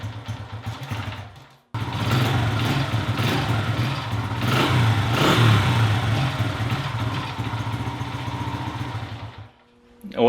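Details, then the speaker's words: Honda XR100 single starting in a warm shop; runs ragged and bogs, revs sagging every time throttle is given, indicating the carburetor needs cleaning; air filter not yet checked. "if you guys were listening you could tell every time that I gave it throttle that it would bog out so that's a definite sign that the carburetor needs a good cleaning"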